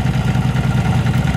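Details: Yamaha V-Star 1100 Classic carbureted V-twin, brought in for exhaust backfire and flooded spark plugs. Steady, even, low lopsided thumping idle with both cylinders firing cleanly. The problem was found to be a rotten pipe.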